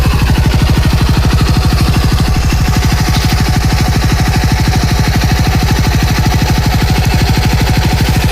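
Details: TVS XL100 BS6 fuel-injected moped after a full engine rebuild. Run with the wheel turning; a steady, even single-cylinder idle at about three beats a second with no knocks. A smooth, healthy putter.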